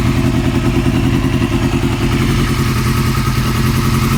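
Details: 2002 Yamaha R6 inline-four idles on the stand with a fast, light top-end tick from around the cams, present since purchase. The cam tensioner was already swapped to an APE manual unit; the owner fears the valves. Cause unconfirmed.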